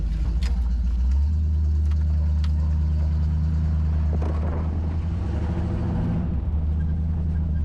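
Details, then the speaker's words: 1986 Jeep CJ7 V8, automatic, driving through a muddy ditch: deep, even exhaust burble picking up smoothly under throttle; runs great, healthy. "yeah this thing runs great go through the muddy ditch"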